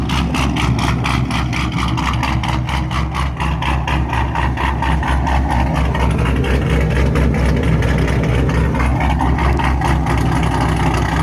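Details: 2004-2006 Pontiac GTO just after installing a DW300C 340LPH fuel pump, run with no tune. Steady, even low burble at idle with no misses, knocks or surging; healthy.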